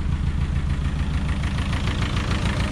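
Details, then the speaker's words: VW Scirocco MK2 ABF engine conversion with rebuilt Yamaha R1 carbs after first start, before raising idle via carb idle adjust screw; low slightly lumpy idle with uneven exhaust throb: low idle. "So that there is my idle adjust screw, see if I can do it one-handed. Should bring the idle up."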